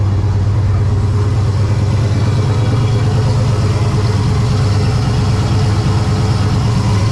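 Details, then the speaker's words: Ventura with On3 turbo LS V8, first start after winter storage, intake gaskets replaced: loud lumpy idle with uneven random stumble; intermittent idle misfire, owner suspects cheap JDM spark plug wires. "I think I'm still getting a bit of a misfire like a and it's not like every rotation it's random almost I mean it could be these cheap JDM speed wires"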